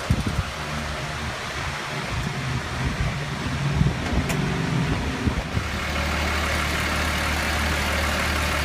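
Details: 2003 Ford 6.0 diesel after HPOP replacement, IPR and FICM checked OK: uneven, labored cranking with low thumping that never catches; cranks but won't start.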